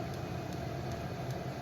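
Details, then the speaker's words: Vevor diesel heater after cleaning soot from it, burning filtered diesel mixed with just under 1/2 gallon of 2-stroke gas: faint, even fuel-pump ticks, two or three a second, over a low hum; pump working normally. "You can hear it clicking. And guys, this one's been running for a couple hours and it's burning that just fine."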